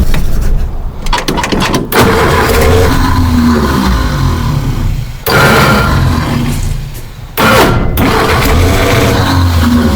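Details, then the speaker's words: 1951 Henry J: repeated bursts of starter cranking with gaps between, the engine spinning over but never catching; owner suspects it is out of gas. "Dang it. I think it's out of gas."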